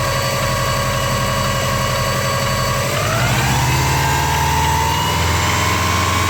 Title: Weird noise